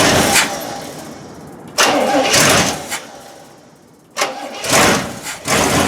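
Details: 1972 Cadillac Miller-Meteor hearse V8, sitting abandoned since 1995, first start in 29 years on starting fluid and 91-octane poured into the carb bowl: several cranking bursts, then it catches and runs unevenly with revs rising and falling; oil pressure seemed okay.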